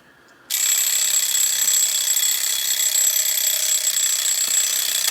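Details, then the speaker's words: Smith mechanical alarm clock, alarm armed and time matched; rapid continuous high-pitched bell rattle for about four and a half seconds, then stops cleanly: alarm bell working normally. "so the alarm mechanism is now armed this is popped up when the time on this matches the current time"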